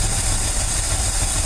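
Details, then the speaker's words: Ford F350 carbureted dump truck idling. The carburetor is puking fluid and trying to boil over, and the owner may pull it apart. Uneven, lumpy low idle with loud fan rush on top; idling really rough. Rough idle from a rich-running carburetor. "And it's idling really rough. We're gonna let it run for a little while, see what it does."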